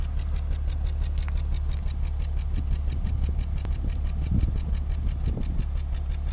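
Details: BMW E36 328i six-cylinder misfiring at idle with deep uneven lope and stumbles, OBDII code set; hangs and hesitates in powerband like power loss. Owner lists possible causes: low fuel pressure, one O2 sensor inactive, other O2 low output.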